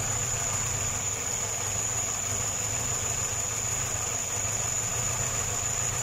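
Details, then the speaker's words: Homemade small tractor with a Škoda 1202 engine, first run after a twin-choke to single-choke carburettor conversion, makeshift air filter: steady low idle with a loud constant hiss that bothers the owner; hissing at idle, cause unconfirmed. "ale to syčení No to mě tam štvalo je pravda nebo já jsem to tam slyšel No že todleto by mělo vyjíst vlastně do filtru"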